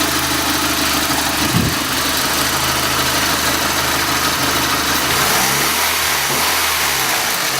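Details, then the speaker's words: Mitsubishi Lancer Evolution V (CP9A) turbo with intercooler piping and hidden Blitz blow-off valve: quick throttle rev, steady note climbing smoothly in pitch, no knocks or rattles; sounds okay. "Let me give it a quick rev here so you can hear how it sounds."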